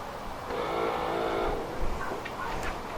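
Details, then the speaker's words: Volvo 480 rear wiper motor whirs only while CEM relay is engaged then cuts out without full sweep or return to park; faulty boot wiring harness from boot lid movement. "But you can see it's not doing a full sweep. It's only staying on as long as the front relay is engaged, and this should self-park back to the start point."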